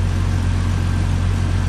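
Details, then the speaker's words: 1998 Jeep Cherokee XJ six-cylinder idling after replacing the leaking exhaust manifold with a new header and Felpro gasket; smooth, even idle, no puffing or ticking at the manifold, preservative smoke burning off; exhaust leak gone, normal idle. "But all the exhaust noise is gone under the hood. Don't hear an exhaust leak anymore"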